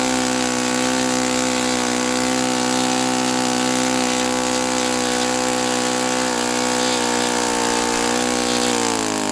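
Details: Saito FA-82a four-stroke glow engine on test stand, after spring replacement, about 63–65°F: steady high full-throttle buzz, no burping now, but never climbs to peak RPM; owner unsure whether prop is 14x6 or 14x8, cause unknown.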